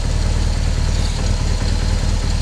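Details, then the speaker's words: BMW HP2 with 1200 cc boxer engine, first run after over a year of repair, warm, throttle bodies synced off idle: steady low boxer thrum, even beat, no knocks or misses, smoother than its former clanky sound. Normal idle. "it's running nice that thing is definitely running smoother than its running along really good"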